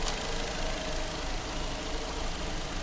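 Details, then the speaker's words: 2014 Fiat Palio Fire 1.0, warm idle after fixing the cross-threaded cylinder 1 spark plug that leaked compression: even steady idle, the earlier scraping-like noise gone. "e deu certo parou aquele barulho parecia algo raspando né era compressão vazando no motor"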